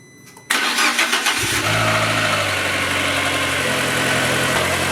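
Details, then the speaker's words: Fiat Panda 100HP T-Jet started after months of sitting, with a jump pack helping: short crank, clean catch and a smooth, even idle with no knocks or misfires. Oil pressure is good, and gearbox oil is burning off the exhaust manifold; healthy start. "sounds great oil pressure is good"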